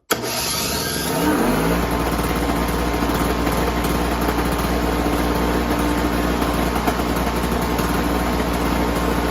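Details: Ariens SS522e single-stage snowblower, 5 hp, 22-inch, sat about 20 years, first start after carb rebuild on fresh fuel with choke on: cranks briefly, catches within a second, settles into a steady even run; normal cold start.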